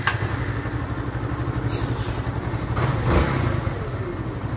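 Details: Barako 2 motorcycle (2024 model, new decals), brought in for hard starting; after adjustment for good timing it settles into a steady, even low putter with no misses or surging, a clean smooth idle.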